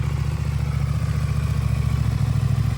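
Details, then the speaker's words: New stock 2024 CFMOTO 800NK (100 hp twin) on first start from the crate: deep, even firing pulses as the throttle is blipped, with no knocks or rattles. Normal engine revving. "Woo, that thing's got some giddy up. Yeah, I mean, you just flipped the throttle and the back end went sideways on you."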